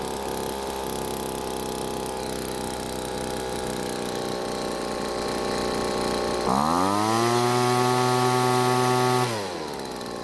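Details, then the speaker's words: Poulan two-stroke leaf blower after full teardown and repair of a no-start, idle set screw backed out so it idles: even idle, then snaps to a steady high buzz, holds and drops back; runs and revs properly. "now with the spark plug wire connected I think it's finally time to see if tearing the engine to Pieces was worth the time"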